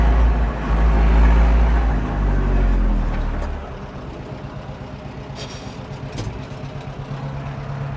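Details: 1997 Zetor 4340 59 hp 4x4 diesel cab tractor with loader, 1447 hours, unserviced as traded in, 540 PTO engaged: deep rumble settling to a quieter even beat, no knocks or misses; normal running.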